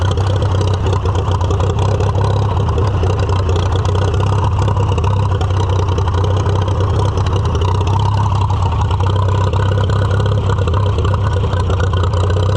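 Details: Farmall F-12 tractor on steel, auction find being revived: steady deep low thumping, loud even drone, too muffled to pin a fault; owner suspects air cleaner restriction and carburetor needing rebuild.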